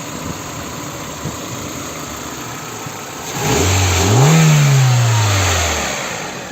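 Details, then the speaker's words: Healthy 1998 Honda CR-V, 2.0 L petrol B20B3, 154,405 km, five-speed gearbox: smooth even idle, then one clean rev that climbs and settles back with no knock or rattle; coolant normal, oil clean and light. "CR-V, 2 литра бензин, пробег 154 405 километров, 98 год, коробка пятиступенчатая, двигатель работает ровно."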